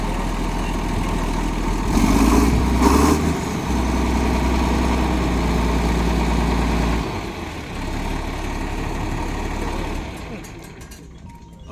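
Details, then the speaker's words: John Deere 4640 tractor at a farm auction, fired up after about an hour of work, said to work and drive good: steady, even diesel clatter at idle with two quick throttle blips picking up cleanly; normal healthy idle. "He's got the, he said he worked on it about an hour, and it popped right off. Works good, drives good."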